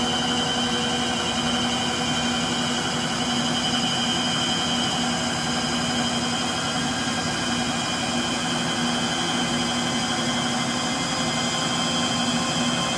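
Steady loud roar with a high whine through the whole spin, rough and gritty rather than smooth: worn motor bearings.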